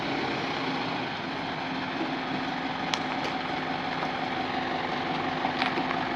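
Even, steady diesel idle with a constant tone and no misses, knocks or hunting; the engine is running normally.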